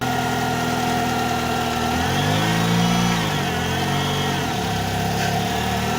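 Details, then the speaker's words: Ford Focus, wheel raised and turned in gear to find which CV joint clicks when turning: right-side joint, boot torn and battered, hums smoothly with no clicking or knocking; this CV joint is fine. "Bueno amigos entonces el lado derecho como ven está todo roto está todo maltrecho pero no truena"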